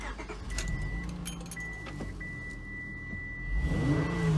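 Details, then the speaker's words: Cold Honda Pilot V6 idling after two more cleaned junkyard fuel injectors were fitted; steady even idle, faint whistle, no stumble, zero misfire at low or high rpm, runs best yet. "I'm very very happy to report that this thing is running the best it has yet there is zero misfire at all in the low or high rpms"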